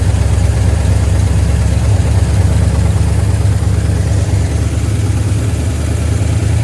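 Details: 1972 GMC C10 V8 pickup, sat unused for years, running with fuel pump fed from a can of gas: deep, steady idle rumble, even beat, no knocks or ticks; ran pretty good though very smoky.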